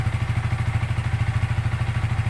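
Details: Yamaha Vixion fuel-injected single-cylinder motorcycle on a diagnostic tool, around CO-adjustment at set RPM: even, steady thump with no misses or ticking; normal idle.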